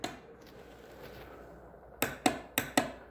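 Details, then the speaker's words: 2006 Honda Rancher 350 ATV no-start, fresh battery installed, in neutral: silence, then four sharp relay clicks in under a second with no cranking; relay works but engine tried to turn over and stopped; seized starter motor. "it's not turning over. It tried to turn over and then it stopped."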